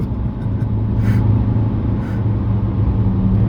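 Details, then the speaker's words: 1-litre car on the motorway at about 60 mph: steady loud low drone with road rumble, engine held at high revs; running normally. "for the motorway, it's revving it off, you know, once you get to 60 mile an hour. And I don't see as it any better on fuel then, because it's just revving."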